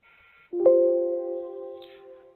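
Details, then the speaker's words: Time clock being added by IP address in Off Line Device Manager: a short high beep, then a clear two-tone chime fading over about two seconds, confirming the device connected successfully. "You will hear a few confirmation beeps from the time clock itself, as well as see a confirmation message on the screen letting you know that the device was successfully added."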